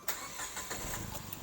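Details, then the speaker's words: 2014 Datsun with a three-cylinder engine and 7 years of use, cranking and catching quickly, then idling smoothly and evenly with no knock or pinging; healthy, though vibration reaches the cabin. "hai hai Hai suaranya halus cuman getarannya sampai ke dalam Nur Nah itu cashnya Datsun karena 33 silinder ya"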